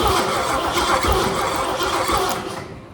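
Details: Junkyard 351 Cleveland in a 1974 Ford Ranchero, not run since 1993, solenoid wired to battery, coil powered, points sparking: starter cranks in quick even whirring pulses for a few seconds, engine doesn't catch.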